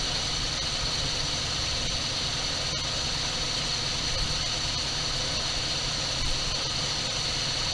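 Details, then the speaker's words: 1978 Dodge D200 crew cab 318 V8, abandoned 17 years, at first start on gas dribbled into the carb; it reportedly had a broken crankshaft and clattered. Steady, even idle with no knocks or ticks; normal idle. "Sweet. I don't hear any noises, so I'm curious about the supposed broken crankshaft. It sounds to me like a pretty good running motor."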